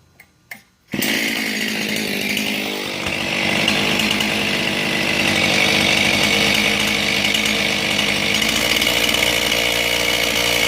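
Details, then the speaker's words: John Deere 625 chainsaw with the fuel-pump pulse hose off the cylinder unhooked to mimic an air leak: a raspy idle whose speed climbs and wanders and turns the chain, showing how a vacuum leak causes a high, erratic idle. "See how that sounds different, how it changes, how the RPMs pick up and the chain starts turning. Good indication when you get a saw in like this and it's kind of running erratic at an idle that you possibly have a vacuum leak, air leak."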